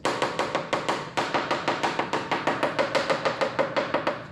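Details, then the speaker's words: Porsche 944 fiberglass rear hatch tapped with a coin or washer: quick, sharp, higher-pitched ringing taps on solid, fully bonded composite, versus a dull sound over voids: solid tap-test response on well-bonded composite. "sounds like a higher pitch, right? It it's conducting all the vibration outwards."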